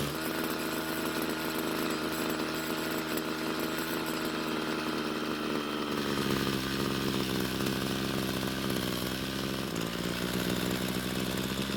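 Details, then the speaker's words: Homelite string trimmer two-stroke that wouldn't start; after stalling when warm from lean low-speed fuel, L screw turned out about a quarter turn, idle lowered to stop head spinning, H screw adjusted; steady high buzz at even revs with small pitch dip, running clean. "so after making a few adjustments to the L screw and keeping the engine from stalling and then lowering the idle speed to keep the trimmer head from constantly spinning we then made our adjustments to the H screw"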